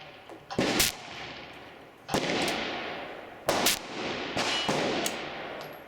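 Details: Replica Colt Paterson revolver: sharp metallic snaps a few seconds apart with no full report as caps fail to fire; weak mainspring giving too light a hammer strike suspected, possibly overly insensitive percussion caps; percussion cap misfire.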